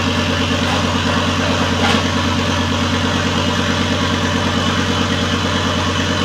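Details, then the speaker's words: Volvo S60 T5 donor engine in cut-off front half: steady, even rapid firing with harsh open-pipe bark, no exhaust fitted; runs fine after removing the airbag control module, following a crank no start. "Well, I'm as happy as can be. It runs, finally."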